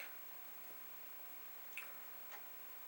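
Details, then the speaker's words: Commodore 1541 disk drive formatting a disk in a torture (burn-in) test: quiet room with a few crisp light ticks every half second or so, the head stepping cleanly; the drive sounds healthy. "So you can hear the head doing its thing."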